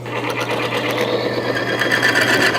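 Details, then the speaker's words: Bearing test machine, load applied via torque wrench forcing metal surfaces together: steady low hum with rough scratchy grinding and a thin squeal; bearing surfaces welding and tearing apart, scuffing metal-to-metal with wear, friction and heat. "that noise that you start to hear is actually the bearing surface is being torn apart okay they are welding together and then tearing apart causing a lot of wear and a lot of friction and a lot of excess heat"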